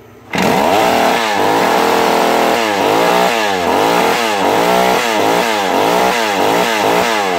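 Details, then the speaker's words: Vintage McCulloch Mac 110 (2.0 CID) chainsaw found at a dump sitting in water, first run after restoration: high buzzing idle with a rapid warble after the idle was turned up too far; idle speed set too high. "Too much. Yep, now we went in a little too far."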